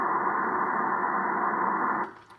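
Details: Drake R4C receiver, early model with 6HS6 mixer tubes, eBay find; one tube's heaters only came on after wiggling it, and the set is not yet cleaned. Steady band-limited static hiss with no crackle or dropouts that then fades away; the receiver works normally.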